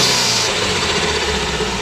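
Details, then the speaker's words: Chrysler PT Cruiser, warm engine revved after a turbo cartridge replacement. Sharp, airy hiss dying away as the blow-off vents underneath, no longer through the K&N filter, and stronger with the new turbo. Blow-off releasing normally. "of course, that's my blow-off plate coming off. That's what you hear. But before you used to hear it coming through the actual K&N filter. Now it just releases underneath."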